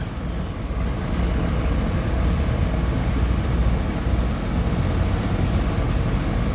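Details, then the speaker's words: A/C outdoor condenser running normally after repair of a bad capacitor, near 100° outside: steady low hum and whoosh of compressor and fan, fan drawing 0.56 A and compressor 4.02 A. "all right guys everything is running just checking my amps on both of my"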